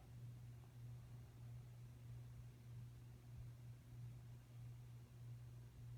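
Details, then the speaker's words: Hometrends 42-inch ceiling fan with oak blades running: steady low hum under even airflow; may be the light shade or the shade being very heavy for such a small fan, unconfirmed. "like just have a hum to it okay so it's not it might be a shade but it could also be it's just very heavy for the fan"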